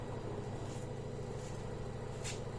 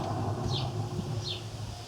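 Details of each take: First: LG direct-drive 5 kg washing machine after drum bearing replacement, test run: low, even hum turning over smoothly with no rumble, grinding or jerking; machine now runs normally. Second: LG washing machine drum turned by hand, about 1 mm play: low, steady hum like a humming car wheel bearing, meaning worn but not yet failed drum bearings, which are to be replaced.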